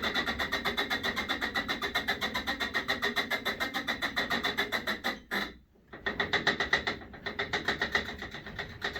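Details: Sole E25 elliptical in use: loud regular creak every stride, about three to four a second; persists after re-greasing joints and lubing rails, and with foot bars disconnected, so owner suspects inside the flywheel.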